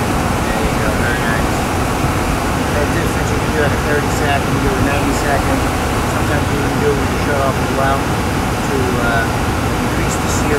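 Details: Gas furnace after replacing the seized, humming blower motor, mounted straight to avoid wobble: steady, even whoosh of air with no wobble, rattle or rubbing; normal, quiet blower operation.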